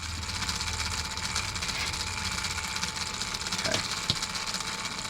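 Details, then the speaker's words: RC crawler (Element Gatekeeper chassis under a Traxxas Defender body) gearbox: high gear whir with a loose uneven rhythmic clatter about twice a second, metal-to-metal mesh in the top gears only; owner feels gears aren't seating, plans shimming. "Hear that rhythmic? Goes away. Completely goes away. All that sound is there is you're hearing the gear mesh. You're hearing the gear mesh in the top end, metal to metal."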